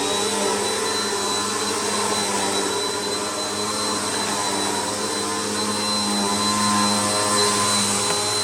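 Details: Bissell PowerLifter bypass-motor vacuum after a full service, tested on carpet at middle height setting: steady high motor whine with airflow rush and no rattles, grinding or pitch drops; running normally.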